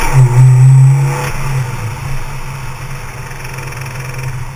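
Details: 2004 Subaru Liberty/Legacy, naturally aspirated EJ25: engine revved above 3,500 rpm then throttle lifted, a faint clattery knock on the falling revs, most prominent off the accelerator; cause unknown.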